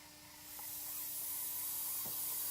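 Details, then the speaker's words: Propane flow calibration on a Power Shot unit, air pump simulating boost at the bottom port: after a 2 lb start, propane hiss builds softly as pressure rises to 5–10 lb, then holds steady; unit delivers more propane with more pressure, normal. "and I've applied 2 lbs of pressure and I'm starting to use propane as I increase the pressure now we're up to 5 lb 6 7 8 9 10"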